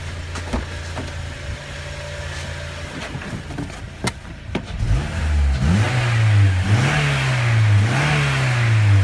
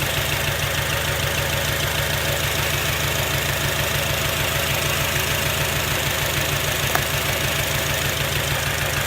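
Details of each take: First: 2006 Acura TSX revved after replacing the failed ignition coil, check emission light still on: light clicks, then smooth, even rev sweeps up and down with no stumble. Normal revving, misfire fixed. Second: 2006 Acura TSX misfiring at idle, ignition coils unplugged one at a time: idle drops on good coils, one dead cylinder shows no change. Lumpy, uneven beat with a gap in firing. Cylinder misfire, its coil or plug.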